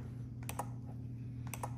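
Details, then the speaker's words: Telecrane F21-E1 remote receiver wired to two trailer lights: two crisp pairs of relay clicks about a second apart over a faint hum as up and down are pressed, relays switching cleanly. "you can hear it clicking as I press that's actually this not the remote that's a different thing"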